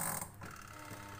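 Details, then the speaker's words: Washing machine spin dryer that suddenly would not spin, after home repair and power reconnected: brief clatter, then smooth steady motor hum, no scraping or knocking; spinner now turns normally, fixed. "Oke ini berputar ya teman-teman ya nih cucinya berputar"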